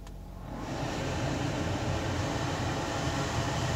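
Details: 2015 Ford Fusion blower motor after removing a black rubber gasket-like piece from the squirrel cage: blower spins up within half a second to a smooth, steady rush of air with no rubbing or flapping; fixed, running normally.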